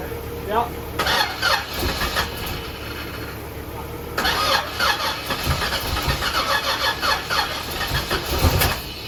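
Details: Supercharged Z28 at its first fire after reassembly, still needing carb tuning and timing adjustment. Starter cranks in bursts and the engine catches briefly and stumbles between attempts, hard starting.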